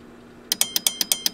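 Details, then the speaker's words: Marantz 250 amplifier protection relay, mic held close, chattering with sharp clicks about eight a second as test signal reaches its trip point around 17 volts RMS (spec 15–32 V); passes. "right here's where it clicks it's right around 17 volts did you hear that flickering back and forth"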